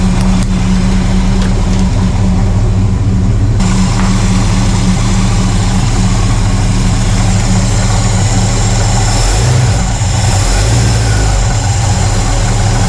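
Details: 1968 Pontiac LeMans V8 after a cold start, which died earlier without throttle. Now warming up, it holds a smooth, even low idle on its own with no stumbling or ticking and sounds healthy.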